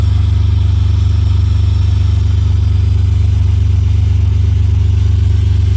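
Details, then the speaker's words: BMW E46 325xi that was knocking: steady fast knocking about 160 a minute over a deep, even engine hum, traced not to the engine or power steering but to the alternator's worn pulley. "so when I first started it was gone most this sound s it's not coming from the motor it seems to be coming from this al man"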